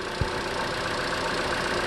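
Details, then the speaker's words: 2011 Chevy Cruze after the PCV oil separator membrane was replaced with a junkyard part, previously whistling and squeaking at idle with lean codes and oil burning: smooth, even warm-up idle with a steady airy hum and no whistle or squeak. "That's regular. That's just warming up engine noise right there. Listen. There you go. That's smooth engine running right there."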